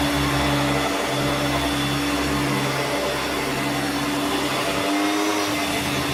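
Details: Hoover Turbomaster U5094 upright vacuum after refurbishment, brush roll off: steady high, even whine with clean tone, no grinding or rumble. Both motor bearings had been seized, fancase one spinning on the armature shaft; motor now spins smoothly.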